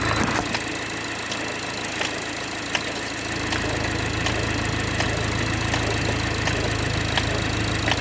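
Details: BMW 430i xDrive, B46/48 four-cylinder, cold start in cold weather: sharp ticks about every 0.7 seconds over a cold idle that steadies after a few seconds. Knock source unknown.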